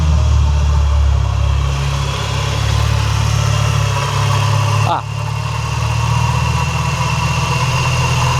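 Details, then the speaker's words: Skoda Octavia with a transplanted Audi RS3 2.5 five-cylinder DAZA engine that was once submerged, idling after a new alternator and belt were fitted: a constant faint whirr, less bad than before. Owner suspects the AC compressor. Accessory belt drive whirring. "It still sounds whirry. It doesn't sound as bad."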